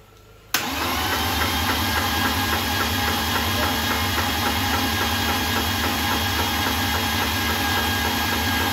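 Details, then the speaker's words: BMW E36 328i with freshly built M52B30 stroker, custom cams and ITBs, first crank before fitting spark plugs: starter spins steadily with a repeating knock three to four times a second. Knocking while cranking, source unclear; oil found on the floor afterward. "I don't know what it could be like it sound get knocking but that wouldn't make any sense"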